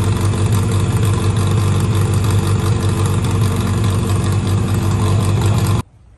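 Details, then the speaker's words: 1963 Austin-Healey Sprite 1098 after swapping the Weber for SU carbs, ignition timing turned back to cure popping, idle adjusted: strong even low rumble, steady beat, no misses, then clean shut-off. Normal running; SU leaks fuel, probably needs gasket kit. "I went ahead and even adjusted the idle and it was so simple and it just idled right down right now it's running really really good"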